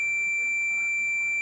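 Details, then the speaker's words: TV that won't start because the power supply shuts down from massive overload; meter from ground to the VSS pin/fuse gives one unbroken high-pitched continuity beep: dead short to ground. "if I put my meter on ground here and we measure to the VSS pin which is this fuse we got dead short right"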